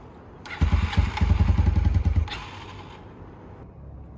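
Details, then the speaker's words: 1989 Honda NX250 after reassembly with a new gasket, 10W40 oil and coolant: the starter cranks with even compression chuffing for under two seconds and never fires, a no-start. "We're going to try and fire it up now and see what happens. >> Nothing."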